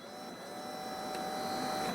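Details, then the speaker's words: ABS pump energized on a warmed-up vehicle with an ABS fault appearing at 40 km/h: thin steady electric motor whine slowly growing louder, but the pressure sensor shows only a small rise; cause of weak pressure not confirmed. "pump runs the pressure in that ABS module should rise so when we run that pump we actually should see an increase in pressure on that pressure sensor"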